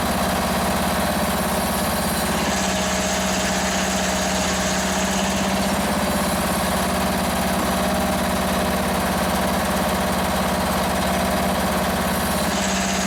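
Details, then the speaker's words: Free Toro ride-on mower, small single-cylinder engine, started after fuel was raised above the carburettor to fill the float bowl; still needs a battery: smooth, even idle with a steady pulse and no misses or knocks; normal idle. "let's try it again oh look at that she's a runner"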